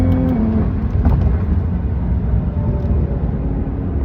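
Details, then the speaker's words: BMW F80 M3 track build after a Bimmerworld diff lift kit with solid aluminum bushings and SPL arms, on a street test drive: faint steady differential gear whine over road and engine rumble, transmitted through the solid rear mounts. "So, I'll throw up a short little clip that I got of uh driving just so you guys can kind of hear what that diff wine sounds like from the solid mount rear bushings."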